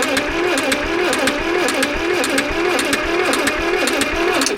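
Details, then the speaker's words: Caterpillar D8H (46A) dozer that sat for decades: slow, uneven whooping starter rhythm, about two beats a second, rising and falling with compression strokes; engine tight but holding compression; cranking, carburetor and points still to be serviced. "buddy you got your little exhaust flapper here yeah it's got some compression going woo I mean step one's a success"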